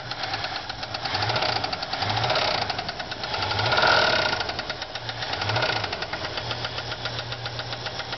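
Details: Ford Fairlane at lumpy idle: steady, rapid tick keeping time with engine speed; bad lifter on a worn, flattened cam lobe after a spun camshaft bearing cut oil to the heads.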